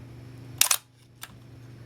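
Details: Minolta SRT 200 35mm film camera body, shutter fired at 1/30 second: sharp double clack of mirror and shutter a split second apart, clean and crisp; normal shutter operation, mechanism in good condition.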